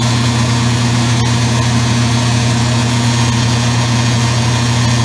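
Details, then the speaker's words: Circa-2003 Maytag Oversized Capacity Plus top-load washer, final high spin after rinse: steady low hum and buzz, the motor's vibration rattling the control panel. "sorry about the the control panel is buzzing because it's vibrating for the motor"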